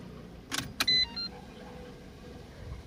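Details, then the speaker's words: Renault Kwid after fuel filter replacement, in neutral, key cycled on several times: couple of clicks then short high whir stopping after about half a second; normal fuel pump priming before first start. "Vamos a darle su primer encendido que esté neutral abrimos le cerramos varias veces el [Música] switch para que cargue la bomba de combustible"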